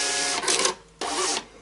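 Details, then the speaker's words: Star TSP143 (TSP100) version 3 receipt printer after replacing the roll holder assembly, whose broken lid lugs caused gear grinding, running the reset self-test: short even feed and print bursts, no grinding; normal receipt printer feed. "and that's sounding a lot more like how it should be very nice"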